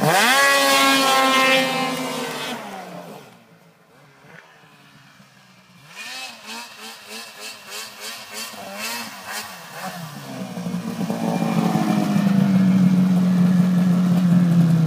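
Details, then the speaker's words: Ski-Doo 800 REV two-stroke snowmobile at full throttle in about 30 cm of snow: it screams up, drops off, then holds a steady high-pitched wail, pegging 8100 rpm right where it should; clutching still set up for a 700. "sounds good sound good yeah she's uh pegging at 8100 just like I mean bang on where it should be"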